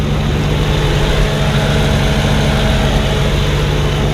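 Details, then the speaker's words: 1988 Jeep Comanche after fuel leak repair, warm at 92°F ambient with good temp and electric fans running: steady, even low rumble at a slightly high idle, no knocks, squeals or misses; fuel line dry. "Listen how good it's running now. Idling a little high, but look at the gauges."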